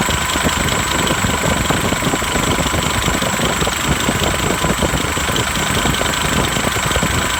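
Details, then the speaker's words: Diesel with a newly installed replacement turbo (old one had a broken impeller), first start after install: steady idle with even clatter and faint high turbo hiss, no scraping or howling; healthy turbo, sound unchanged from before, same brand. "เทอร์โบดังแล้วครับหวานเจี๊ยบเสียงก็ไม่เปลี่ยนครับเหมือนเดิม"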